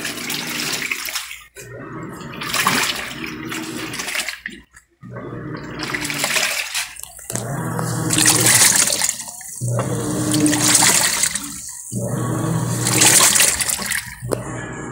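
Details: Panasonic top-load automatic washer washing a load after both soft, aged suspension springs were replaced. Rhythmic water swishing surges and pauses with each stroke, with no scraping now that the motor no longer rubs the bottom; a healthy wash.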